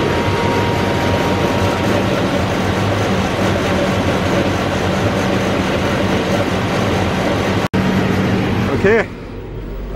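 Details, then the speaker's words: Massey Ferguson 40 combine harvester (possibly 1996), recently bought after sitting 3 years, fuel and electrics refreshed; first run on its diesel tank gives a steady, even diesel rumble without knocks or misses, some smoke expected to clear; normal running. "so she's running nice you know running off it's on diesel tank"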